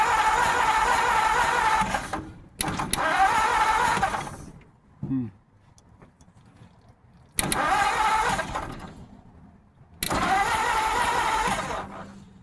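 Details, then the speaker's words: 1950 Ford F1 truck, crank no start: several few-second bursts of steady cranking with pauses, never catches or pops; coil not hot, owner suspects wrong firing order, unconfirmed. "All I can think of is the firing order is wrong. The coil's not hot this time either, so that could be a good thing."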